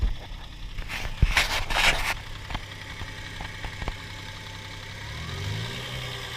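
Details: Toyota 1G-FE engine (Altezza / Lexus IS200/IS300), fully warmed, at hot idle: sharp, uneven ticking knock from the front of the engine under the timing cover. It is absent when cold, and the owner suspects the VVT clutch (unconfirmed).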